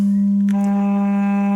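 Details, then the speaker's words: Eight-inch speaker driven with a low-frequency test tone around 200 Hz: steady tone turns harsh and buzzy like a square wave; voice coil suspected scraping on the magnet, while 300 Hz sounds fine. "I don't know if you can hear that but that is clearly scraping on the magnet"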